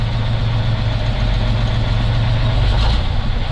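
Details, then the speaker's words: Soviet MAZ KS-3571-1 truck crane diesel, started after repair: catches instantly into a steady, even, low idle with no knocks or misses; oil pressure reads 6 and the warning lamp goes out. "Блин, я не могу, как он запускается. Ты чувствуешь, Дима? Ракета! Просто с полтыка."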